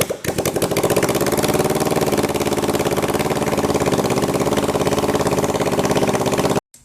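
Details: Kawasaki 454 LTD bobber first start after top-end rebuild, harness mocked up: engine catches and settles into a steady even rumble with a quick beat at fast idle, no knocks or misses.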